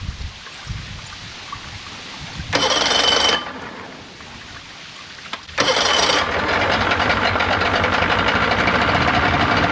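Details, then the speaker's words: 1995 Yamaha 75hp two-stroke outboard in a test tub after water pump replacement and plugs, cold on choke: catches after a couple of bursts, then a steady, even buzzing idle with no knock; normal. "let's see what it'll do see that's that's your choke look I here P yeah she ain't warmed up yet sounds"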